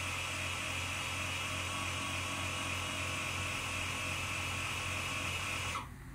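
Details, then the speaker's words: Air Lift Wireless One onboard compressor on a Ram 1500 inflating Ultimate 5000 rear bags to a 30 psi preset, rear end lifting: steady even buzzing hum at constant pitch, then clean cutoff; normal compressor operation. "so you can hear the compressor running let that get up to 30 and you can actually feel the truck kind of moving lifting up that rear end"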